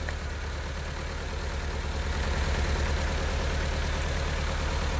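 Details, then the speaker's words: 2010 Honda Civic 1.8 L gasoline, automatic, idling after coil replacement for a cylinder-3 P0303 misfire, with one coil disconnected on purpose: rough loping beat, about three thuds a second, from one dead cylinder. "To drive home the point, we're going to disconnect one of the coils, and you'll see what the misfire looks like."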